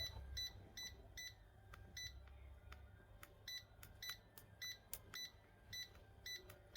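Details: Laser level with constant beeping fault and hard-to-press keys, testing after cleaning and fitting replacement key contacts with double-sided tape: short clean high beeps at irregular intervals, every press answered; keypad responding normally.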